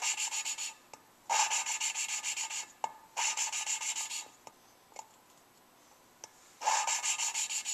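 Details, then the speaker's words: Suzuki Sidekick cylinder head rebuild, lapping new valves with coarse grinding compound: repeated short gritty rasping strokes, a slight heavy grind as each turn starts, fading away; valve seat close to but not yet fully seated. "so now you can hear there's just a little bit of a heavy grind each time I start turning it pretty much going now yeah I think it's gone"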